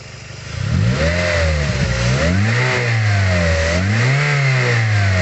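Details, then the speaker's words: Toyota Vios engine blipped from idle up to about 3000 rpm to check the crankshaft main and rod bearings: pitch rises and falls cleanly with no knock or roughness, so the bearings are judged healthy; normal revving. "Hai kalau tegas tidak ada bunyi knocking atau bunyi kasar kakak-kakak itu ya itu berarti kondisi metal jalan putar duduk itu paint seekor itu kondisinya sehat"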